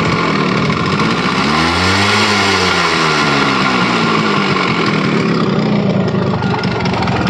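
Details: Yamaha RX100 two-stroke motorcycle, first start after sitting over 10 years in very poor condition: buzzy note blipped up and dropping back, uneven and sagging, running rough. Wiring issues noted; cause suspected, not confirmed.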